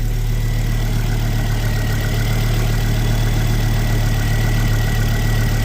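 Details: Ford Focus ST225 after oil filter housing replacement for a failed breather seal that was blowing oil (idle had also hunted at times), with a smooth, steady low idle and no ticking or knocking; the oil light went out promptly.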